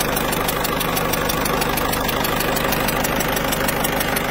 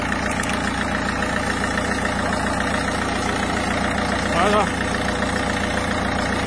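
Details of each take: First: Citroën C4 Picasso 1.6 HDi, pre-05/2010: diesel idle with sharp regular ticking chuff about three per second over clatter, leaking injector seals, suspected underlying cause of turbo failure; seals to be replaced. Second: Citroën C4 Picasso 1.6 HDi diesel (pre-05/2010): steady, even idle with smooth rhythm and no ticking or hiccups; engine running perfectly, normal idle.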